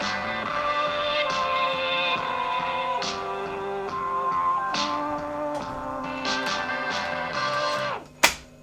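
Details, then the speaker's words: 1953 Hornyphone Virtuoso WM9542A tube tape recorder after capacitor replacement repair, previously spinning tape with no sound; music plays clean and steady with no hum, wow or dropouts; normal playback after repair. "so as you can hear it works we have fixed it"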